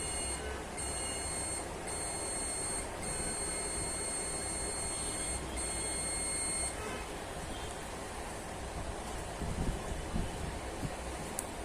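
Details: Samsung UA40K5000AR LED TV (panel V400HJ6-PE1), sound and backlight OK but no picture; multimeter on continuity across capacitor beside CD20 gives a steady high beep for about six seconds, showing it dead short.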